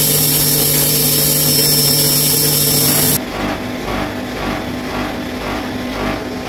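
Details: Bosch Maxx 6 washing machine after motor bearing replacement, drum bearings still good: a loud steady high whine with a hum underneath cuts out, leaving a pulsing drum rumble at high spin; loud drum noise, which the owner believes means the drum is broken.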